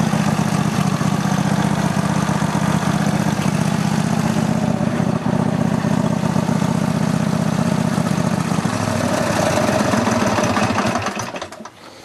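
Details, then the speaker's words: Roper riding mower single-cylinder engine running with a non-original muffler: even low chugging at a steady pace, no misses or knocks, fading at the end; runs fine. "it seems to be okay um obviously that muffler is not the correct muffler for it but it actually is working out pretty good with that muffler"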